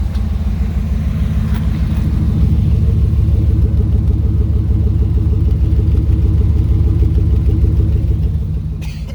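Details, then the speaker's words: 2003 Ram 2500 quad cab long bed at idle before cat-back replacement: loud, deep exhaust with a rapid, steady puffing pulse, popping under the seat from a hole just behind the catalytic converter. "kind of loud with that exhaust leak you can kind of hear it popping underneath the seat sort of speak kind of from where it's at"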